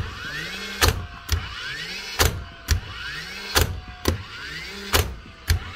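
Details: Nailer in a power-tool repair shop after cleaning the driver and replacing worn springs: short rising flywheel whir then a crisp drive bang, eight shots in pairs; the nailer fires cleanly and consistently after repair.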